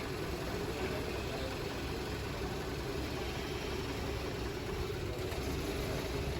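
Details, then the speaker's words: Petrol engine idling with a vacuum hose pulled off, giving a slightly rough, uneven idle; the engine was suspected to be running lean. "so right now we're pulling a vacuum hose and seeing what difference it makes"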